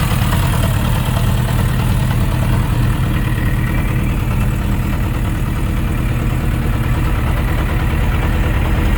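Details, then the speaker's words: Suzuki RF900 motorcycle at idle: deep idle with a loose, irregular knock about three beats a second; cause not found, possibly connecting rod bearing clearance. "okay guys you've heard that uh soundr some sort of a mocking sound when the engine is running I don't know exactly what that could be but uh someone was actually saying that it's a sign of engine knocking could be a corn Road connecting Road and uh the bearings maybe they have a clearance"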